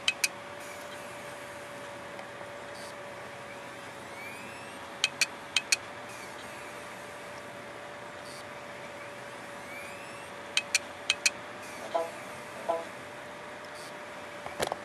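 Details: Hard drive that stopped working on its own, not dropped; electronics suspected rather than heads: sharp, isolated clicks in small clusters over a thin steady whine, never settling, as the system fails to recognise the file system; click of death.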